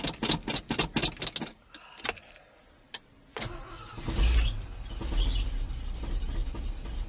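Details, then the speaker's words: 1980 Ford F150 351M V8, factory two-barrel carb with choke disconnected, cold winter start: several slow cranking bursts, a pause, then it catches and settles into a rough uneven cold idle; fires right up, a little cold-hearted. "she fired right up this time not too bad oh she's a little cold-hearted a it's got the choke unhooked it's got the factory to barrel carb on it"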